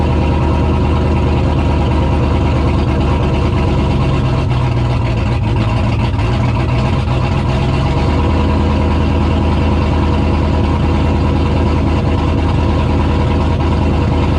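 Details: Engine after fuel pump swap following a no-fuel-pressure problem: already running with a deep, even rumble that lifts briefly mid-clip then settles; nothing irregular, normal running.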